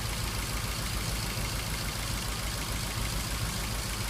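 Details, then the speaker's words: 2003 Ford Focus 1.6 petrol idling with an uneven stumbling beat; the scanner shows code P0302, a misfire on cylinder 2, and the injector is said to be faulty as well. "You can hear the misfire there."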